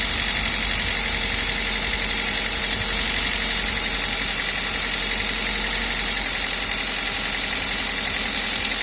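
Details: Toyota 1ZZ engine at idle: fast light top-end tapping over a steady idle; valve train ticking suspected, not confirmed.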